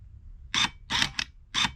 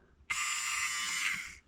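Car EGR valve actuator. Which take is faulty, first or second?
second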